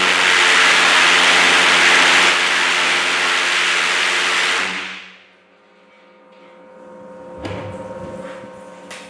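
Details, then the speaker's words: Twin Viper valveless pulsejet, two 50-pound-thrust engines, run on diesel at full power inside shop: loud, harsh, even roar holds about five seconds then dies cleanly; running strong, more power than expected. "Yeah, boy, that was making more power than I thought the engine made."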